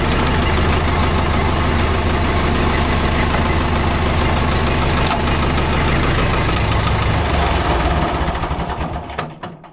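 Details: Vintage David Brown 990 diesel tractor, abandoned 20+ years after tipping over while running, now revived: steady, even diesel clatter at settled speed, no knocks or misses, then dies away; running pretty sweet, sounds healthy.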